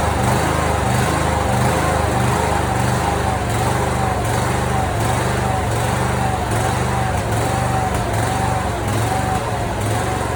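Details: Simplicity mower with 27hp Briggs & Stratton V-twin and original Nikki carburetor, before carburetor replacement: steady speed with irregular sharp pops about every second; backfiring and popping, cause unconfirmed.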